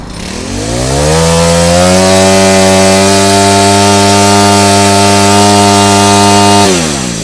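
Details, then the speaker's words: Makita 4-stroke trimmer after repair with new spark plug, cleaned carburetor and fuel line, test-run 2 hours: clean rise to a steady high rev held several seconds, then smooth drop with no misses; only fuel system and plug were faulty. "จริงๆแล้วนะครับเครื่องตัวนี้มันไม่ได้เสียอะไรเลยนะครับนอกจากชุดเนี่ยชุดระบบน้ำมันนะครับ2อย่างกับหัวเทียนแค่นั้นเองนะครับ"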